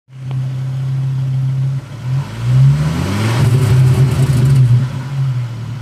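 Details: Car engine blipped then rough, rattly noise as revs fall; occurs only after 5 minutes of driving, only when letting off revs, persists about 5 minutes stationary while running, then stops.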